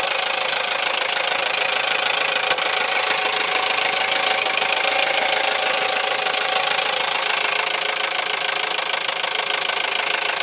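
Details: Toyota 1AZ-FSE engine at idle: loud, steady, sharp metallic clatter about three raps a second; piston slap (also labelled as possible rod knock), to be repaired.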